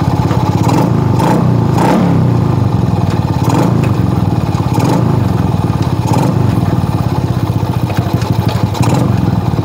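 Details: Shogun R110 single-cylinder motorcycle that died on entering first gear, after fixing a short circuit in the gear indicator light wiring: quick, even beat with light throttle blips and no stalling; running normally.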